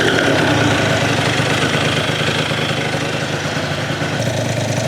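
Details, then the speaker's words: Yamaha Zuma (Minarelli vertical) two-stroke freshly rebuilt with new Polini Evolution 70cc cylinder kit, second warm-up fire-up after first reaching about 150°: even, buzzy idle with steady beat, no clank from bottom end despite crank having more side-to-side play than liked; normal idle. "Not too much noise from the bottom end. I thought that crank was going to be a little uh clankier."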